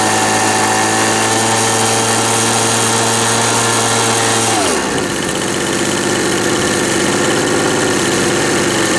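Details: Old Ryobi RSV 3100e two-stroke leaf blower, both carb mixture screws seated then backed out two turns: high steady buzz, revs sag after about five seconds, rough and uneven; owner thinks too much fuel, loss of power, blows almost nothing.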